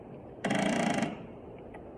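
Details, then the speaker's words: Toro TimeCutter mower, crank-no-start complaint, oil low but present: rapid clicking when key turned, no cranking; 350 CCA battery tested bad, weak battery can't spin starter. "right, you hear that clicking noise? Now what we're going to do is we're going to test the battery."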